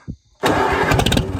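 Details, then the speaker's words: 1945 Allis-Chalmers WD 4-cylinder gas tractor, sat unused for years, after clearing a rust-filled fuel line and freeing a stuck throttle: engine catches abruptly and settles into a solid, continuous run with no misses, running properly. "yeah it runs"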